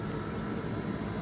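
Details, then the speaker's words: 1978 VW Super Beetle convertible, heater blower fan switched on: a steady, even rush of air with no rattle, ticking or squeal, felt at the vents; normal blower fan operation. "Okay, let's see what else works here. The fan should work fine."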